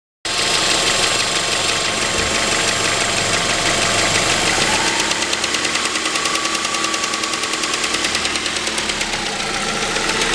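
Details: 2006 Mazda 3 BK 2.0 (engine code LF), 150,000 km, at steady idle: fast, light ticking about three per second on top of the engine sound; source of the tick unclear.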